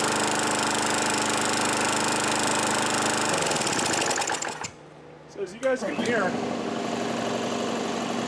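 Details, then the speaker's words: Craftsman Eager 1 mower 917.383241, well kept, primer bulb working, before air filter swap; quick even buzz of the small single running steady a few seconds, compressor briefly audible, then shuts off. Normal running. "except from my compressor turning on it starts up and it runs great"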